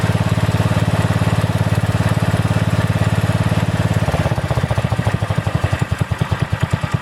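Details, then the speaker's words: About 35-year-old log splitter refreshed with new pump, valve, filter, rebuilt cylinder and hoses, swapped-in 12HP single-cylinder engine: steady thump that slows and softens partway; mild governor hunting, owner suspects carburetor adjustment, otherwise runs well. "the only problem right now that the governor hunts a little bit on the engine I don't know if 30 carburetor maybe it needs an adjustment but it runs pretty well"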